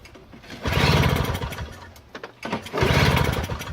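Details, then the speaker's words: Free Toro CCR 2000 snowblower, 2-stroke 4.5 hp Suzuki with Mikuni carb, 50:1 mix gas, choke out, heavily primed; smoke from muffler suggests spark, owner fears flooding or bad fuel vent. Two brief uneven chuffing pull bursts, never fires; cranks but won't start. "Well, the choke is out. I hope I'm not flooding with all this priming. But there's smoke coming out, so it looks like there's spark."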